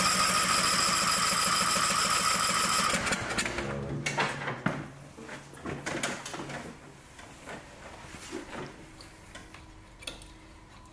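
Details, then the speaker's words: Newer riding mower engine with electric throttle, which had run as if the choke was on: about three seconds of cranking, no firing; flooded and too rich, fuel smell. "you can really smell the fuel. Let me pop this hood off cuz it was running. It just ran real rich."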